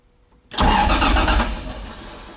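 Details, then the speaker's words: 2JZ-swapped Nissan 240SX with new harness, first crank: brief cranking that fades without catching; fuel system not yet hooked up, so no fuel supply. "she cranks through the throttle body here whoo-hoo I need to hook up the fuel"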